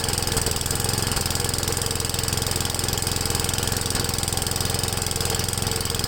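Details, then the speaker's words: Ariens 8HP Tecumseh engine, first start on a newly installed HIPA360 carburetor, half throttle: single-cylinder thumping at about 3.5 beats per second with a ragged, hunting note; owner suspects it runs slightly lean. "to me it sounds like it's running a little lean"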